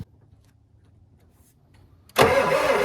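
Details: Old Ford turbo diesel truck sat for years: after silence the starter bursts in and the engine churns steadily without catching; cranks but won't start, fuel filter shows no fuel dripping, bleeding suspected needed.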